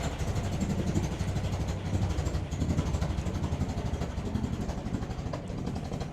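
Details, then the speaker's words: Land Rover Series 2a station wagon, idling while warming with no temperature gauge: low lumpy stumbling idle, worse from exhaust behind mud flap, soot blackening the wall; carb mixture too rich, rough idle. "it don't sound happy, does it? As I say, it is made to sound worse cuz of that mud flat. How to tell a car is running too rich when you've got absolute soot up the wall."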